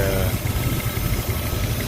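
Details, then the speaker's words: Jeep engine just reinstalled with new connecting rod bearings, cold idle after first start, good oil pressure: steady low idle with faint light ticking; slight tappet noise on both sides, needs warm-up, sounds healthy. "little bit of tappet noise. Yeah, both sides, a little bit of tapper noise. That sounds healthy."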